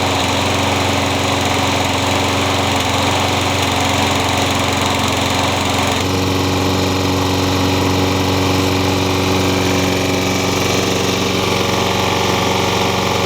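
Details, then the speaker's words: Single-cylinder mower engine on first run after reassembly onto the deck, with bolts torqued to 100 in-lb and Lucas added to thicken the oil. It runs steady and fast with a faint uneven tap under the firing. The owner suspects a slight knock. "well it runs I'm not quite sure how healthy it sounds it may have a slight knock to it too so I'll keep an eye on it"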